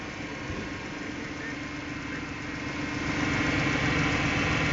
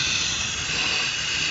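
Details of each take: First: Petrol engine idling steadily and smoothly after a deliberately opened vacuum leak (vacuum modulator line) is plugged; short-term fuel trim and injector pulse width return to normal. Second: Idling engine with the largest vacuum line, at the vacuum modulator, unplugged: loud steady high-pitched hiss of a vacuum leak; engine struggles as short-term fuel trim and injector pulse width rise well above about 5 ms.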